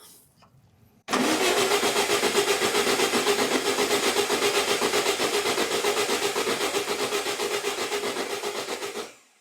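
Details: 1962 VW Beetle, sat over 20 years in the desert, cranked to check fuel pump output: about eight seconds of steady cranking at roughly four beats a second, never catches; turns over but won't fire.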